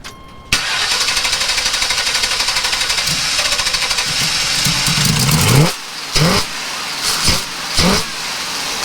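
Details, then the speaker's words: 454 TBI-injected RV engine with no injector signal, after spraying brake cleaner and fuel down the throttle body: cranks, fires, then lumpy stumbling idle; rough running from fuel and solvent flooding. "she's not very happy because I've been spraying crap down the carburetor and plugging everything up and you know it's got all that freaking Fuel and brake cleaner and all that other crap down in the engine"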